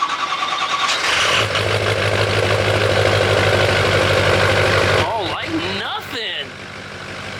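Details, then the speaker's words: Rebuilt Ford 6.0 Powerstroke diesel in cold weather, first start: fires at once and settles into an even, steady diesel clatter with no misses or knocks; healthy normal idle. "that sucker sounds good"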